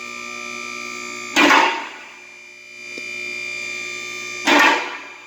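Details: Newly replaced lift motor running: steady, even electric hum with a couple of brief hissing clunks from the lift; much quieter than before, healthy.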